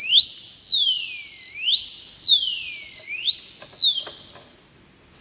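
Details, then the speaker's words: Motorcycle disc brake lock alarm, temporarily fitted for demo: three warning beeps, then a loud, piercing siren sweeping up and down about every 1.5 seconds before cutting off. "it's quite loud as you can hear and helps keep people away from your motorcycle"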